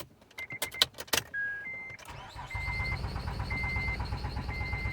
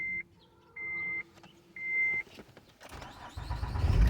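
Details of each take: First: Acura TL (Honda) cranks steadily with aftermarket programmed key after a few clicks and chimes but never fires; security light flashing, anti-theft immobilizer rejecting the key; fuel pump heard. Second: Acura TL (Honda) using the original key after aftermarket key failed: three short chimes, brief crank, engine catches at once into steady idle; security light no longer flashing, immobilizer no-start resolved.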